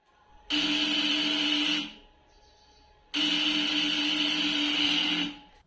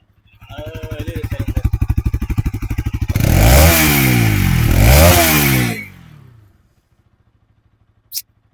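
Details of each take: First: Bajaj Pulsar NS200, about 3.5 years old: self-start gives short high "kirr" whirring bursts that never fire; weak battery, no start, battery replaced. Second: Bajaj Pulsar NS200 after battery replacement: single-cylinder steady idle then two sharp clean revs settling back; normal exhaust note.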